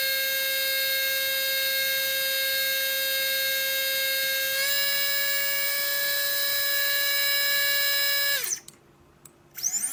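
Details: Readytosky 1804 brushless quadcopter motor on a vibration test after calibration: a high steady whine with a rough edge steps up in pitch mid-run, then spins down. Bad bearing; magnets reportedly come loose from vibration.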